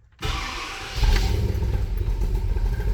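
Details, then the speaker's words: Newly installed engine that makes no power, running rough: lumpy, stumbling low rumble with an uneven beat, rich from excessive fuel pressure. "sounds like garbage. We'll do the regulator thing here quick."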